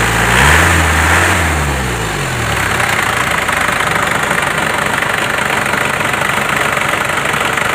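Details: Isuzu Crosswind Sportivo diesel after engine refresh, cooling system refresh and clutch fan repair, tuned: quick blip settling to a steady, even chatter with no knock or miss; idling smoothly, normal.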